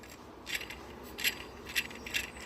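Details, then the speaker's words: Old belt tensioner from a Renault Fluence spun by hand off the engine: four short gritty, rattling bursts from its worn bearing; the new original Renault tensioner is silent. "aqui ó tensor velho até o rolamento já tava ruim ó o"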